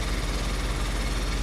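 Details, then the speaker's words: 1995 Mercedes R129 SL500 V8, 84,000 miles, just started after lower engine wiring harness replacement, still cold: steady, even low rumble with smooth regular exhaust pulse, no misses or knocks; normal idle, no leaks seen. "Started right up. Sounds great. This car's only got 84,000 miles on it. Should be great. Good. Good job. Nice exhaust note."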